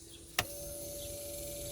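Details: Newly replaced boat bilge pump and aerator pumps on a fused circuit: a click on switch-on, then a quiet, steady hum with no rattle or grinding; normal pump running.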